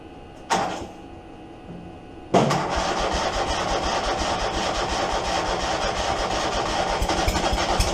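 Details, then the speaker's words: Steiner zero-turn mower with a Kohler 25 Command twin, before repair, with the rectifier blowing fuses and the stator oil-soaked from leaking oil cooler lines: a short crank, then rough, ragged, weak running. Running on one cylinder. "I did get this fire up the other day on one cylinder that's what the uh complaint is is it's not running it's not running right"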